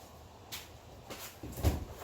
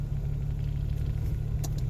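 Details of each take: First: Geo Metro after in-place engine rebuild (hone, re-ring, rebuilt head, new rod bearings), first start attempt: starter churns in uneven bursts with good compression but never fires; no fuel because the camshaft position sensor was unplugged. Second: Geo Metro engine after in-place rebuild (honed, re-ringed, rebuilt head, new rod bearings), before break-in, after high cold-start idle settled: smooth, even low idle, maybe slightly high, no misses, knocks or ticks; normal idle.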